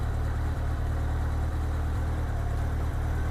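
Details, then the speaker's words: 1987 Honda GL1200 Goldwing after four-carburetor synchronization with a Carbtune tool: steady, even low idle rumble with the earlier popping gone and no misses; carbs well balanced, normal idle. "you can hear, it sounds like the popping is gone. That is really close, really close."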